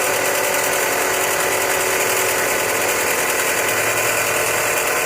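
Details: Chrysler 200 pulley checked with a mechanic's stethoscope: steady gritty rushing grind with little engine rumble beneath; bad pulley bearing noise.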